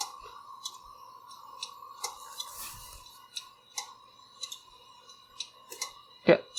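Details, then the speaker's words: Failed hard drive from a FreeNAS ZFS RAID-Z2 pool, mic near the drive, sharp uneven clicks about three per second over fan hum; clicking unchanged after reseating and rebooting. "don't think so this has fixed anything i can still able to hear clicking noise"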